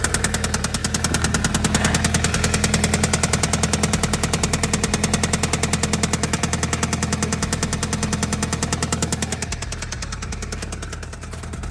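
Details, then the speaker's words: Audi A3 8P idling with heavy regular deep metallic knocking about 200 per minute; owner suspects bottom-end knock, at worst crankshaft, main and rod bearings, or worse damage; unconfirmed. "We've got bottom end knock, which is at worst a crankshaft, bottom end bearings and rod bearings."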